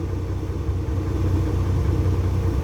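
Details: Isuzu 6WF1 diesel truck with a hard start, after replacing two stuck PCV valves that had caused over-pressure: a smooth, even low rumble holding a steady speed without stumbling or knocking; healthy idle.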